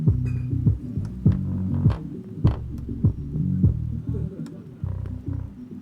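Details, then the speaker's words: Digimark subwoofer after replacing a TDA7379 amplifier IC with a TDA7377, playing clean deep bass thumps with no crackle, buzz or cutting out at raised volume; normal bass output, no-sound fault fixed. "it's working fine yeah it's working fine you can hear the sound even volume up"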